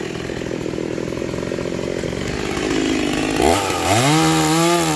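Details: Rebuilt vintage Stihl 036 chainsaw, aftermarket Meteor piston and cylinder, new crank bearings, seals, muffler and clutch, rebuilt OEM carb, test cutting wood: steady buzz then picks up sharply and climbs in pitch without bogging; healthy and strong.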